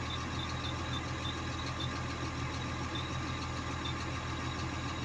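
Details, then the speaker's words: Komatsu D65EX bulldozer diesel at idle: rough, uneven knock over low rumble from a leaking injector, traced by cutting cylinders one at a time in the menu; knock stopped with cylinder 5 off, so the fifth-cylinder injector is at fault. "начало стучать форсунка какая-то начала лить на Komatsu 165 бульдозер"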